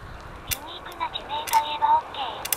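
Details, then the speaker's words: Touring bicycle, about 5 years since overhaul: twisting the handlebar under force gives short, sharp creaks and ticks in separate bursts. Owner suspects the stem; cause not confirmed. "ハンドルが曲がらなくなったのハンドルをねじる形で力入れると異音がするんですこのような"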